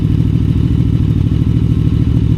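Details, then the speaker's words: QJMotor Flash 600 V4 motorcycle at idle: a deep, fast, steady exhaust thumping at a relatively high idle speed that should drop after a while and needs lowering. "His idle speed should drop slightly after a while. Now the idle speed is relatively high. It should be lowered"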